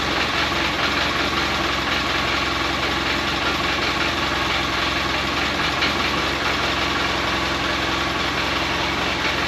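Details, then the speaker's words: 2012 Polaris Ranger, first start after a REV6 top-end rebuild (new cylinder and piston): steady, even buzzy idle with no misses or knocks. It runs great, though a small rattle later heard is suspected to be clutch play. "Holy crap, does that sound good."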